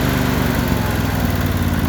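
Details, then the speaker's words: Briggs & Stratton Intek V-twin after valve lash adjustment, cold below 70°F, running on choke: even, steady low drone with no spitting or stumbling, much better than before adjustment. Steady idle. "choke on it there you go it was fitting a lot worse than that before"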